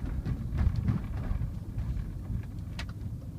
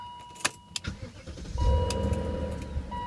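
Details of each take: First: 2000 BMW M5 (E39), 177,000 miles, warm engine, factory exhaust, accelerating on the road: deep muffled V8 rumble swelling twice, little exhaust noise, scattered cabin ticks and rattles; normal engine revving. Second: 2000 BMW E39 M5 V8 start: brief uneven metallic rattle in first seconds before settling, owner attributes it to Vanos, worse cold or after sitting warm a while.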